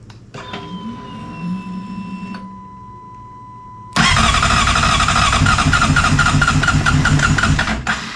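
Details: 2007 Honda CBR600RR with fresh battery and unresolved electrical issues: starter whirrs for a few seconds, bike hesitates, then catches abruptly into a busy, rattly idle; hard to start, cause unclear.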